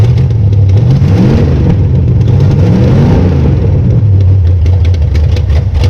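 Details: 1966 Belvedere V8 after swapping a flooding cheap Quadrajet for a rebuilt used Edelbrock carburetor: even idle, picks up cleanly on throttle, no stumbling or bogging, no longer flooding; normal idle and rev.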